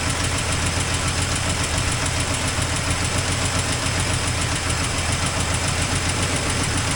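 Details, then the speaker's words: 1984 Toyota Land Cruiser FJ60 first run in many years: loud, unsteady idle with a busy uneven chuff of about three to four pulses a second. Rough after long storage, exhaust leak noted. "Got an exhaust leak. This thing's a beast. Oh yeah. I don't think it has any cool in there."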